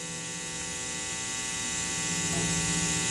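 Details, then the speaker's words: Mitchell MB-200 bass through Fender Rumble amp: steady bad 60 Hz hum under constant high hiss, fading with volume down, changing with pickup mix and EQ; noise absent elsewhere, ultimately the amp was faulty and exchanged. "this is a bad 60 hertz home now it does sort of go away when i turn the volume down"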